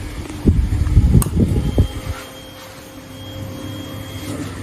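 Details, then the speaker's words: 1999 Suzuki TL1000R, long-stored, 81,000 km, battery fitted; after a few handling knocks, a faint steady electric whir at even pitch as the fuel pump primes; normal fuel pump prime. "Alright, well, a big test to see if there's a prime."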